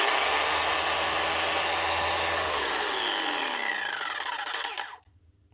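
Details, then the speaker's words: Arbortech Allsaw mortar saw after its stretched drive belt, which had dropped and jammed in the pulley, was reset and the tensioner pulley tightened: a smooth, high, even whir, then a clean coast-down with no slipping. Normal running. "Sounds much better."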